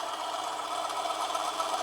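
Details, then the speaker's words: Manson lathe turning a brass test piece: steady motor whir with cutting hiss, pitch easing down as a heavier cut loads the motor; still cutting well though struggling at that depth. "putting on a bit of a heavier cut this time as you can hear the picture of the motor has changed"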